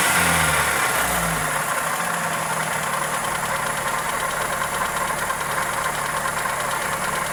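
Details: Toyota 2E engine (Corolla EE90) at uneven idle with a light, quick tick of three or four per second; likely valvetrain, connecting rod also suspected, cause not confirmed.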